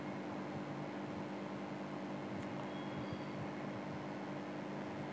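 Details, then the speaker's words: AC indoor unit blower motor that had been running slow, now fitted with a homemade six-wire speed-control circuit: steady low hum with no rubbing or rattle as voltage and speed are raised from about 1100 rpm; normal running. "When you turn it on , you can see that this circuit will do the billing here, which means the motor is running and where it came from on the DC vault, you can see 134000."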